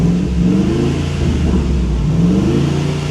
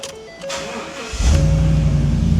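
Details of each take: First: 2015 Ford F250 salvage supposed flood car after first drive: V8 revs climb lazily and sag with flat muffled note; poor throttle response and low power, owner suspects smoked catalytic converters, unconfirmed. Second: 2015 Ford F250, salvage auction supposed flood car, started again: dash chimes, brief crank, V8 fires at once into strong even idle; clean healthy start.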